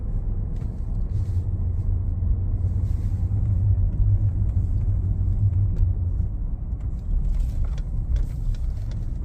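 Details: 2019 Ford F-150 Lariat 3.5 while cruising: steady low drone under road rumble, a front-end hum; suspected IWE, 4x4 actuators or front differential, cause not confirmed.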